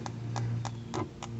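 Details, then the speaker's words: About 10-year-old fuel tank on a 1996 27 Rambo center console boat, replaced sender, tank pressurized and lid left on four days: fume sniffer gives sharp even clicks about three per second over a low hum, detecting fuel vapor. "this is a sniffer it'll pick up any petroleum fumes at all"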